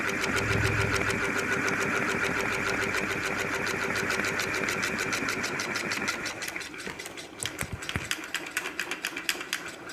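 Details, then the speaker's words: Ceiling fan knocking about three times a second while running and shaking hard. The owner says it is not the bearing but a problem elsewhere, which is fixed without replacing parts. "तो देख सकते हैं friends यह कैसे झटका ले रहा है देखिए के पौधे के साथ इसमें से खट-खट की आवाज आ रहा है"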